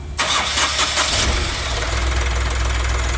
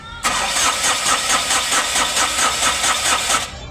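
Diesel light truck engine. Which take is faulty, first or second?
second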